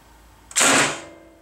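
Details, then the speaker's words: Hydrolocked engine with cracked, punched-through block, cranked with fuel lines undone and fuel pump relay pulled: one hard metallic clunk as the starter engages, then nothing; the engine is locked up. "so that's what it sounds like it's just locked up and it's just a real hard nasty"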